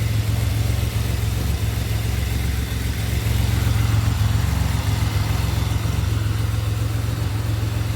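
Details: 2007 Pontiac Grand Prix GT idling after a crank-no-start fix with a swapped fuse box. Even, low idle rumble at constant speed, no stumbles, ticks or knocks; healthy.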